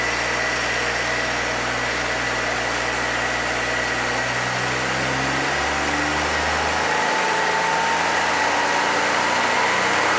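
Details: 1966 Chevrolet C20 with Chevy 292, break-in: engine held at fast idle to seat rings; even hum, slight speed shift midway, no knocks. Normal break-in, no new noises, oil pressure held, no overheating.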